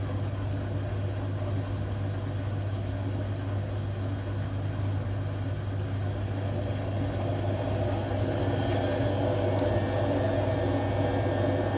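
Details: Hotpoint Aquarius WMA58 washing machine on test spin: steady heavy low roar with rumbling churn through the fast spin from worn drum bearings; machine was scrapped due to the bad bearings.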